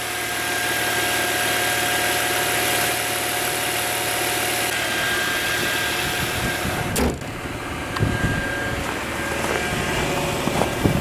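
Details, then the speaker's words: Volvo S80 3.2 AWD idling cold, hood open: smooth, quiet engine with no power steering pump whine after the hose was swapped for the stock pipe and the pump repaired, curing fluid foaming. "мотор работает абсолютно тихо никакого боя насоса нету"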